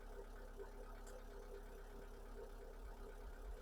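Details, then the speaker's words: MG TF rough, hesitating idle before repair: low, uneven idle with stumbles and lumpy firing; fault code bank 1 sensor 1, O2 sensor stuck around 1.1 V instead of oscillating, confirmed dead and to be replaced. "it's just hanging around around but 1.1 Vols so the sensor is not picking up anything at all dead than dead so that's definitely the problem"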